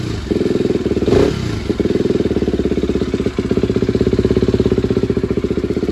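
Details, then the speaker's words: SWM RS125R two-stroke after top-end rebuild and valve timing, coolant pipes not yet connected, short run: fires straight up, settles into a crisp, even popping idle with no misses or knocks; timing now correct. "Happy days. Sounds like it's running sweet. So, I must have got that timing right now."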